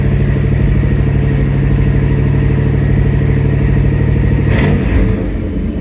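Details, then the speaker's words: 1971 Oldsmobile Cutlass Supreme V8 with a newly installed Edelbrock 1791 electric fuel pump, after first start: a deep, steady idle burble with even firing and no misses or knocks. Normal idle. "Okay, so it's been running about 10 minutes now. Just wanted to make sure that everything was okay."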